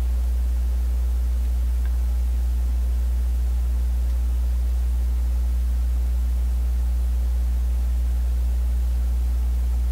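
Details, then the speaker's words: Vacuum tube PA amplifier, input grid lead grounded through a 100K resistor via the volume control: steady low hum with buzzy overtones, unchanging; strong mains hum getting into the amp, source still not found after eliminating several causes. "So the 100K resistor, that's the level of hum you get. I'm assuming you can still hear it."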